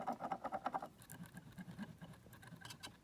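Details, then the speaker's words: Boosted board motor turned by hand, wheel and belt ruled out: quick dry clicks then softer uneven patter; loud clicking otherwise, fault traced to the motor itself. "it's making a slight noise so yeah it's definitely something wrong with this motor"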